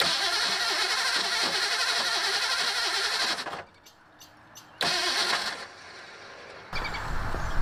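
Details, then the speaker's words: 1984 Ford Mustang GT350, brand new starter reassembled after being destroyed: harsh laboured three-second cranking, weak bursts, never fires; starter judged garbage and must be removed with the header. "Nope. Brand new starter's garbage. So that means that this header has to come off, that starter has to come off, it needs to be thrown in the fucking trash."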